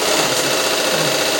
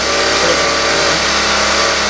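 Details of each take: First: Unicorn LS2-H6000M industrial sewing machine winding the bobbin with the presser foot left down: fast, even, high-pitched whir. Fixing the presser foot up stops wear under the foot and reduces the noise. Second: Unicorn LS2-H6000M industrial sewing machine running, oil circulating normally: fast, even mechanical buzz at constant speed with no knocks or grinding, then winding down; normal running.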